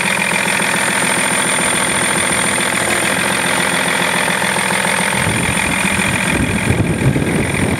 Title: E46 330D - Engine Clicking Noise